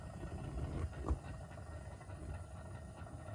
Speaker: yeah there's a gurgling noise that means we have water in our burner